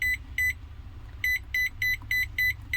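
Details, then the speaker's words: Microwave oven PCB powered up: short, clean high beeps, one per feather-touch button press, about eight in three seconds over a low hum, showing the touch panel works properly. Normal keypress beep. "कि आप beep का sound सुन रहे हैं, इसमें हमारी जो feather touch है proper work कर रहा है।"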